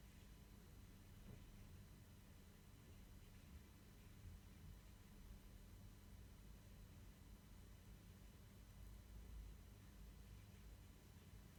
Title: iPhone 7 Plus Ticking / Hissing sound bleed in video recording